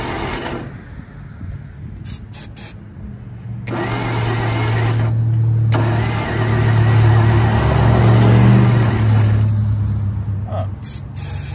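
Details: 1947/1949 International 1-ton flatbed truck, sat about 50–53 years, on used plug wires, fed gas and starting fluid: cranks and catches, runs briefly with an uneven chug, sags and dies; failing ignition coil won't keep it running.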